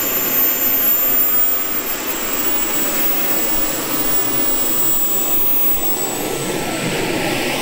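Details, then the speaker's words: RC jet-car turbine (RC-plane jet engine) in final check: smooth high rushing roar with thin steady whine easing to lower even hiss into cooling mode; everything nominal. "Hopefully, nothing would go wrong at this late stage. That sound never gets old."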